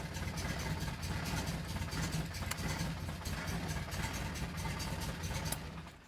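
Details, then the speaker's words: Datsun 1600 L-series four-cylinder on the dyno, converted from carb to EFI with motorbike throttle bodies and coil packs. It fires straight up with the crank sensor synced and no ECU errors, settling into a fairly steady, lumpy idle, before the timing is set. "fired straight up so obviously it's closed and see it's running full no errors perfect"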